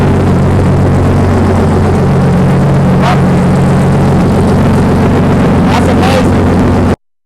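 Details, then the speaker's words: BMW 318i engine swap, first start after swapping fuel lines, no exhaust fitted: steady, very loud raw drone with deep unmuffled rumble. "It is extremely loud because it does not have any exhaust on it just yet."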